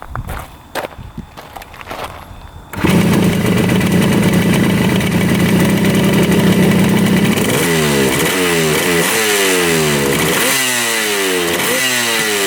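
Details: 1975 Yamaha RD200 two-stroke after 20+ years in a barn, restarted after first run: fires straight up, crisp ringing idle, then clean sharp blips rising and falling evenly; healthy restart, normal running.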